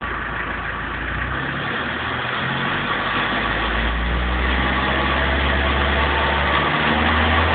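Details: 1994 BMW 318 TDS diesel under acceleration: drone rising steadily with revs, with a rapid regular patter riding on top; abnormal engine noise under acceleration, cause unclear.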